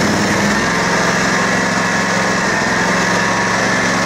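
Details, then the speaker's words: Kawasaki twin on a Wright Centaur mower, 3-year-old engine, cold day, old fuel, after air cleaner work: steady, even idle with a smooth low thrum and no misses, knocks or hunting; idle maybe slightly high. "Okay, that sounds like it might be idling or full throttle just a little bit too much, but I still got to go through this thing and put fresh gas in it, and you know, it's also cold out today, so who kno"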